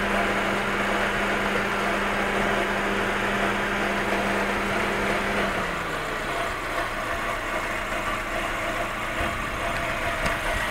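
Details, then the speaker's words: Fiat engine after a timing belt change, warm and idling: a dry, raspy scrape over a steady idle, coming from the timing belt area. The cause is unknown; the noise appears only when warm at idle. "Vamos a escuchar de nuevo el sonido. Es como si algo raspara."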